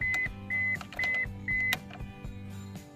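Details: 1999 Mazda 626 with key removed sounding steady high beeps about twice a second, as if the key were inserted; key-in-ignition reminder switch under the top steering column cover stuck; pressing it releases it, replacement not yet tried.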